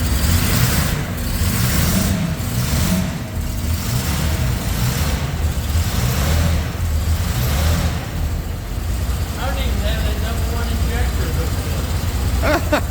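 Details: 1971 Jaguar E-Type V12, fuel injected, first start after a two-year rebuild with the throttle not yet adjusted. Uneven, lumpy, loping beat under revs; misfire because three injectors were not connected, and it runs very smoothly once they are.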